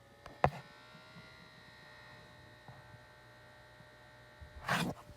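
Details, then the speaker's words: Oculus Quest 2 headset: a steady, thin electrical buzz with a faint high whine from the fan at the front right, present every time it's switched on, under two brief handling knocks; a fan buzzing fault in a headset bought a week ago. "all right so my quest has been having this buzzing sound for a really long time now and or"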